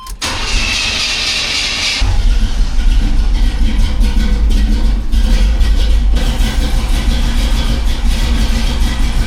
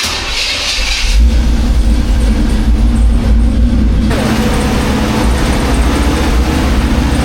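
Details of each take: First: 1985 Chevy C10 with a larger cam and a new Holley 4160 Street Warrior 600 CFM carb (electric choke, vacuum secondaries) that has been running rich on cold starts. About two seconds of cranking, then the V8 holds a steady, deep idle without screaming. Normal start. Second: 1985 Chevy C10 cammed, new Holley 4160 Street Warrior 600 CFM electric-choke carb, complete cold start: catches after a second and settles into a steady, noticeably high idle; fast idle set too high.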